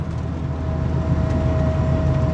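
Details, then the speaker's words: 1988 Volvo 240 on first drive after 13 years off road, just passed MOT: steady high whine at constant pitch over road and engine rumble, from the gearbox; owner suspects input shaft bearing or gearbox oil, plans fresh ATF Type F. "The gearbox is whining like mad. It's It's probably something like the input shaft bearing, but"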